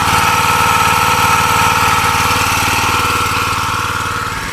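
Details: New log splitter's small engine at idle, which owner says vibrates badly and can stall unless run at half throttle; loud harsh buzzing rattle over the idle beat from a loose plate vibrating against the frame.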